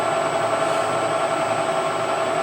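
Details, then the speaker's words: Used Harrison M300 lathe headstock spinning at 800 RPM: smooth, even whir with airy rush, blowing wind, much louder than at 180 RPM; no knocks or grinding, normal running. "It spins fast. It's making a lot more noise than it used to. Uh it's blowing some wind off of it as well."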